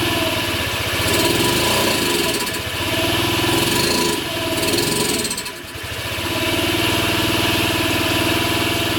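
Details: Cold Honda Ruckus: single-cylinder putters unevenly, sagging and nearly dying twice before recovering; stalls when throttle opens, warm idle fluctuates about 100 rpm. Plug changed, carb cleaned, new battery; owner suspects ECU, unconfirmed.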